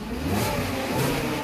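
Quick, clean rev that rises and falls smoothly with no knocks, rattles or misses; the engine sounds strong and healthy.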